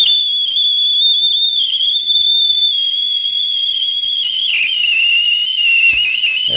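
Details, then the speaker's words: Watkins Johnson 8711A receiver, first power-up after years unused, BITE error and battery warning shown: speaker turned up, loud steady high-pitched howl with a wavering second tone above it, same on upper or lower sideband and any input; cause unknown. "if you listen to that listen to what the sound that this is putting out it's horriffic"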